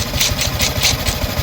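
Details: Yamaha Sniper 155 after water pump repair kit replacement and coolant refill: even single-cylinder idle pulsing about five times a second with a light regular tick and no whistle; the earlier pump whistle is gone, running normally.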